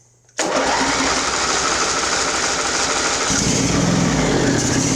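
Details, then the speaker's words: Craftsman riding mower, Briggs engine, on full choke at half throttle: catches and runs rough with uneven firing, then loses pace; owner suspects it is sucking air at a loose fuel filter. "Let's give her full throttle, see what happens. Dies. It, like I said, it might be sucking air in that fuel filter."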